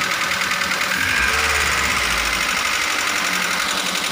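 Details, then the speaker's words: Daihatsu Grand Max engine after a rebuild and reinstall to cure rough running caused by excessive valve clearance: it blips up and drops back smoothly with an even rhythm and no harsh clatter; back to standard. "agan2 sudah berbeda dari suaranya yang tadinya kasar Tapi sekarang sudah kembali standar"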